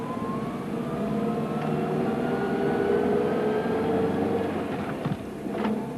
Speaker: a sound of similar frequency is heard for example along with the test pattern on a TV screen before and after the day's broadcasting transmission or gear noise sometimes causes a similar sound also